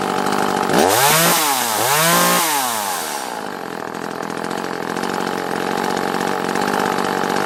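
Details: Echo CS-330T top-handle chainsaw after the gasket blocking the carburetor vacuum pulse port was removed, run with the tank fitted: revs rise and fall, then hold a steady high buzz without sputtering; normal running.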